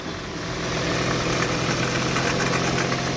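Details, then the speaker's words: Hyundai Veloster engine noise when pulling away on a slope, held at the rpm where it appears, also in neutral on acceleration from low revs: steady engine run with a faint constant whine ("chorinho"). "Aí, pessoal, já manifestou o barulho aí, ó, pessoal. Parou. Vá. É um chorinho, tá, pessoal?"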